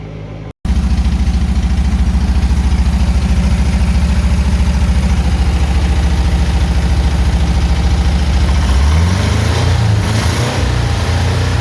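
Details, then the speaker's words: 1975 Porsche 914 after new points, condenser and dual Weber carburetor install, first start with no carb adjustment: fires right up into a fast even idle; high idle from loose throttle linkage. "so without doing any adjustment to the carburetors it fires right up and I mean it's idling high uh the linkage is just loose"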